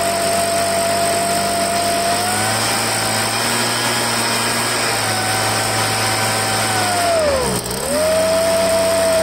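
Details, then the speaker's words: Poulan handheld two-stroke leaf blower after fuel line replacement, run warmed up at half throttle: high steady scream stumbles and sags once, then picks back up; dirt in the carburetor, probably from a broken primer bulb. "it had obviously had some dirt in the carburetor"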